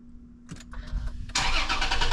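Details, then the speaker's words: 2020 Toyota Tacoma after cleaning battery terminals to fix click-click no-start: brief quiet crank, engine catches cleanly and settles into steady run, no clicking. Normal engine start. "There we go. as she works back to normal."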